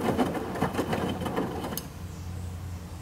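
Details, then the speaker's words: Midea HealthGuard Smart 13kg (MF200) washer on Cama e Banho cycle, load of white cotton shirts: a few soft clunks, then quiet steady rush of water entering right after start for the pre-wash; normal inlet fill. "Vou tocar no [Música] iniciar ela já iniciou a entrada de água para fazer a pré-lavagem"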